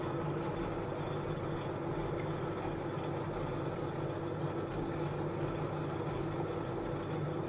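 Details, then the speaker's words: Lathe facing off a Delrin/nylon plastic bar at deliberately low revs to avoid melting, for a 3/8-scale Bristol Hercules model: steady low hum, smooth even whir, no chatter or squeal; clean cut. "So let's start with what we call the facing off. So I'm just going to touch that on there, wind it in. I'm just going to take a fraction more off."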